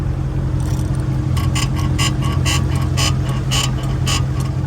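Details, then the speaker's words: Mercedes SL500 (R230), 75,000 miles, before coilover swap: dull knocks about twice a second as the body is pressed and rocked, from front left strut or upper control arm area per owner; suspected, not confirmed. "is the upper control arm it's making some noise when you uh press down on it every time it hits the bump it's real real noisy"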